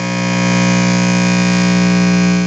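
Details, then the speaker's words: Vox VT40+ amp with 12AX7 preamp tube (Valve Reactor), just switched on with knobs up and no signal; steady loud low hum with a buzzy edge, the tube warming up; normal. "That slow humming was the tube warming up."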